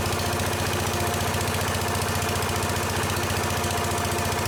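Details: Case 222 lawn and garden tractor small engine, sitting for years, revived with starting fluid: steady, even idle at about 220 beats a minute with no misses or knocking.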